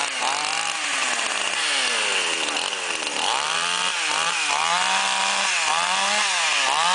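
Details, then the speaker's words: Flooded chainsaw brought in not starting with fuel leaking from muffler; after draining fuel, drying the plug and restarting: revs rise cleanly with each throttle blip, no stumbling or dying, running normally. "Как видим, пила в отличном состоянии и всё готово к работе."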